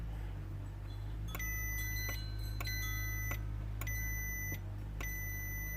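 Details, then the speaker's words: On a Ford Focus remote key fob that only unlocks and will not lock, the multimeter gives steady evenly spaced continuity beeps across a fob button and reads 0.5 ohms, a good contact. "So 0.5 ohms, which is absolutely perfect."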